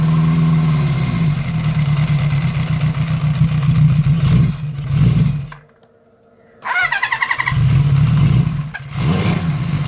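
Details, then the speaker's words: Honda CB350F four on first start after restoration, carburettors not yet tuned: lumpy idle that surges, dips almost to stalling, then recovers. Sounds rich with unburned fuel coming out; a vacuum leak is suspected. "sounds a bit rich to me actually they're getting a bit of unburned fuel coming out and it sounds like there's a vacuum leak too"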